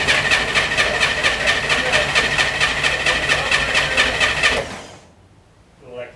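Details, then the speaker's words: Car that hasn't run in a week or two: even, steady cranking at about 130 beats a minute for four and a half seconds without firing. The electric fuel pump runs off the oil pressure switch, so it needs oil pressure first; a normal long crank. "either it will fire up instantly or crank for a minute until the football builds pressure because it's attached to the oil pressure switch which means i've got to have oil pressure to have fuel pump electricity"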